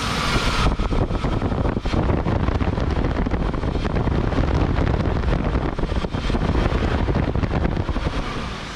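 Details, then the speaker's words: BMW E34 wagon with a newly installed used fan clutch from a donor car, engine cold: loud, steady, strong whooshing bus-like roar from the fan; fan clutch engaging properly. "you always know when a crank fan is working because it sounds like a bus 41."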